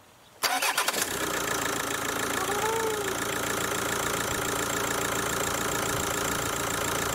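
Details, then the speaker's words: Kia Ceed diesel with Bosch EDC16, cloned replacement ECU fitted: short crank, then a rattly idle clatter; the injectors knock because the new ECU's injector adaptation has not been done yet. "No nie da się ukryć że te wtryski na aktualną chwilę klepią klekoczą ze względu na to że tej adaptacji jeszcze nie było"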